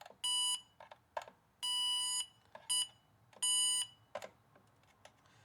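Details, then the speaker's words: Power Probe IV connected to the car battery, volume on, touched to fuse tops and screws in a fuse box: short bursts of steady high-pitched tone with clicks between, confirming power present at each point. "So you can hear that, yes, indeed, it's getting power."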